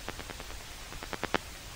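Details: AM radio with a TV remote nearby as the TV is switched on: sharp clicks at about ten per second, rising in loudness, over faint hiss, interference from the remote.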